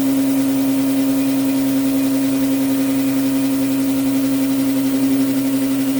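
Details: New Orazio air compressor on its first test run after unboxing, with air hose and blow gun connected and filling toward 8 bar: constant low buzzing drone with a fast, even pump pulse; running smoothly.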